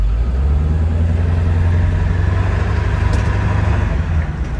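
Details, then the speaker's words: 4x4 Ford E-350 Econoline 7.3 diesel, about 278,000 miles, test drive for lack-of-power complaint: steady deep diesel drone with even low rumble, no knocks or misses under way; sounds healthy at this point. "Thing sounds pretty good. Sounds healthy. Let's take this out on the wide open road."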